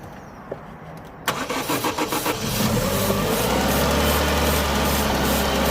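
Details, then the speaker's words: 2009 Vauxhall/Opel Astra H 1.6 petrol, crank no-start with P0685, main relay bypassed and fuel pump jumped to run: cranks with quick even pulses, then catches and runs on easy-start spray, confirming a fuel delivery issue; electrical fault keeping main relay off remains. "however the car still not starting but look what happened when I spray a little bit off easy start here"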